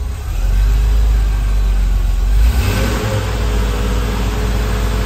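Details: 1991 Porsche 964 flat-six, first start after a long-block rebuild, unstarted for about 20 to 25 years, good oil pressure; strong, even running with clean throttle blips rising and settling smoothly, no knocks or misses; healthy.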